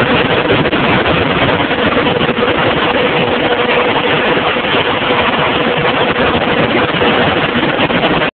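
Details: John Deere 7220, 6.8L PowerTech diesel, PowerQuad transmission, about 2400 hours, ULSD fuel: loud, rough running with an uneven, stumbling misfire. Injectors and compression tested OK; the injection pump was faulty and was replaced under warranty.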